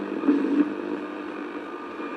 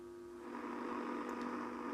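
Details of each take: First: Philips Model 148 tube radio after a full tube replacement, on a mini whip antenna in the afternoon: steady band hiss with a brief dropout. Normal reception. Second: Philips Model 148 tube radio with a full set of new tubes but deaf: audio stage works, yet tuning across the band gives only a steady low hum and faint hiss, no stations. Cause found to be a shorted front-end capacitor.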